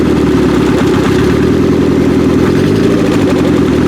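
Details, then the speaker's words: 1995 Acura Integra LS built turbo B18 first start after cams: loud lopsided idle with a beat dropping out; first cylinder dead, runs on three cylinders despite spark, valve lash suspected, not confirmed. "That one's good. Those two cylinders. First one. That's 100% dead."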